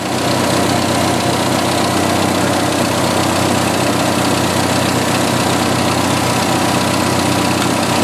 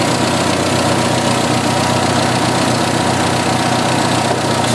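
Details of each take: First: 1986 Jeep XJ 2.5L petrol engine idling smoothly and evenly after a crankcase ventilation vacuum leak from an incorrectly fitted valve cover was fixed; it had been running very lean. Blow-by appears normal, with no knocking, hissing or misses. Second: 1986 Jeep XJ 2.5L four-cylinder idling with a steady hiss and slightly uneven beat, heard before repair; wrong valve cover fitted without proper crankcase ventilation caused vacuum leaks, engine running very lean with fuel trims way off; two leaks found, one fixed.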